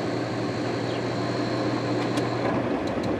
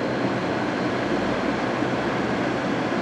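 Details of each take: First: 2002 GE AJCS10ACAM1 9,900 BTU 115 V air conditioner overheated in a garage because it can't exhaust its hot air (steaming at the back): on restart after brief cooling, a strained hum, then it cuts out with clicks. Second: 2002 GE AJCS10ACAM1 9,900 BTU 115 V air conditioner, 14 years old, dirty coils, in a garage: steady, even whoosh and smooth motor hum on high fan while cooling, running normally.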